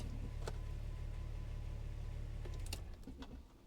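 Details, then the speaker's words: VW Corrado with engine running hot and coolant temperature higher than wanted, fan silent the previous night: steady low whirring drone holds evenly, then drops away near three seconds; electric radiator fan now running normally. "Okay, and I can hear the fan is working today. Last night it didn't do a sound."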